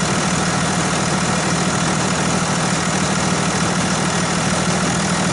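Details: Dodge Ram 2500 diesel starting after fitting a replacement battery following cold-weather battery failure: steady, even diesel clatter with no stumbling, healthy clean start and idle.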